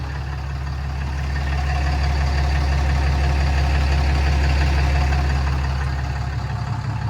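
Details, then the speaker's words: 2011 Ram 5500 Cummins diesel after EGR and DPF removal with 2013-2018 cab-and-chassis kit, first start, no check engine lights, fan clutch wobbly: deep even rumble about four beats a second, no knocks or misses; normal diesel idle. "No check engine lights, which is always a good sign. We will need a new fan clutch because this one's a little wobbly, but turn like"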